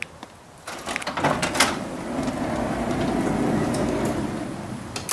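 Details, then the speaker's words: 2005 Honda Odyssey power sliding door, driver's side, the working reference while the passenger side scrapes from a failed roller hinge: even motor hum, smooth door roll and light clicks at start and latch, normal operation. "Watch how smoothly it operates on the driver's side."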